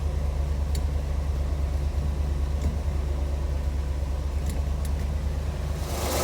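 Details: C3 Corvette V8 at idle: deep steady idle with a loose, uneven rattle about three per second on top; mystery rattle, owner suspects the throwout bearing, unconfirmed.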